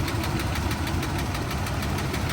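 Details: Auction V8 truck at idle, exhaust manifolds splitting: fast, regular light ticking over a slightly uneven idle. Lifter tap in the top end suspected rather than a manifold leak, unconfirmed.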